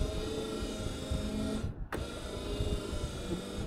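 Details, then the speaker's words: Wiper motor on an 1981 Ford F100, tested after repair with cowl removed: steady motor whine at low then high speed, cutting out cleanly at the park position and restarting evenly; normal wiper motor operation. "uh here is low speed well you can see them down in there working oh yeah there's high speed"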